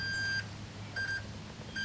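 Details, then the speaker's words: 1970 Honda SL350 stator wiring check: multimeter gives three clean high beeps showing continuity on green and red wires before they leave the stator; normal continuity beep. "I'm looking at these wires before they come out of the stator and you can see this is the green and red got continuity there"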